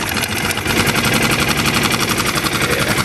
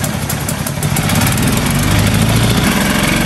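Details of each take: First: New Hangkai 6.5 hp four-stroke outboard in water barrel after backing out an idle screw set too far in (was revving too high): steady, even idle pulse with no hunting or stumbling; normal idle. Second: New Hangkai 6.5 hp four-stroke outboard in water barrel test: spins fast and busy where it should idle, then drops and stops; idle speed screw pushed far too far in, backing it out fixed it.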